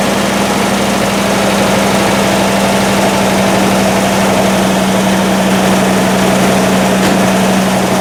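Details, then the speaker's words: 1955 Buick Century first start right after a carburetor rebuild, electric fuel pump priming the carb; fires immediately into a loud, steady, even low rumble, still cold, idle about 580–600 rpm, plugs and wires not yet changed. "wow that was quick it just start right up well we'll see what happens when it warms up"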